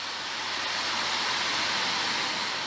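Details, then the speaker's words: 2007 Isuzu pickup A/C blower fan after repairing the worn bushing that let the fan wobble and rub its housing: steady even rush of air with no rubbing, scraping or wobble. "اکنون سعی کنید قدرت را تأمین کنید تا ببینید آیا صدا می دهد یا نه. خوب ، به طور معمول کار می کند."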